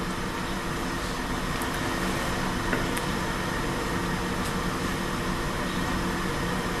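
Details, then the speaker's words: Vintage 1950s Hawkins Teasmade kettle bringing water to a rolling boil before it is forced up the pipe into the waiting receptacle: steady rushing hiss and low rumble with faint ticks, even throughout; normal boiling. "Now we can hear that water. I don't know if you can hear that, made that clearly out on the video, but you can definitely hear the water boiling."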